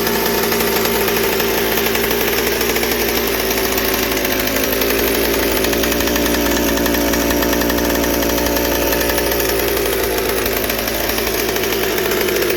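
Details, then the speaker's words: McCulloch 790 chainsaw with MC101 kart engine, new header and pipe, 3D-printed carb adaptor: screaming full-throttle two-stroke, steady high buzz with thin uneven note, won't four-stroke; lean at high speed, carb can't supply enough fuel. "it just at high speed you open her up and it just is not able to dump enough fuel so definitely going to have to wait to want to do a cut on that and everything"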